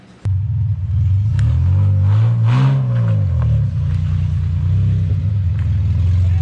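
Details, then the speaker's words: BMW E46 with fresh low-mileage 3.0L swapped in for a blown 2.5L, headers and open exhaust: very loud deep exhaust bark rising with a rev mid-clip then settling smoothly; engine runs strong and even. "right now it's open header too so it's gonna be stupid loud but yeah i'm pumped on"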